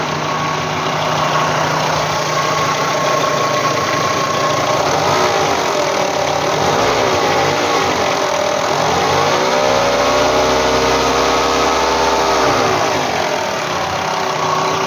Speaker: появился какой-то посторонний шум в моторе по ощущениям как будто бы это ролик либо доб оборудования один из роликов либо это ролик РМ Ну либо помпа